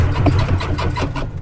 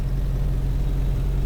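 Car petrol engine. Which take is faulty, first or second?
first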